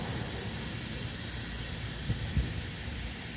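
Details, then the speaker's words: Punctured tire leaking air as a rubber-screw repair plug is test-fitted for size: a steady high-pitched hiss of air rushing out, constant throughout. "It's gonna go psh. Oh yeah. Ooh, hear that air coming out, guys?"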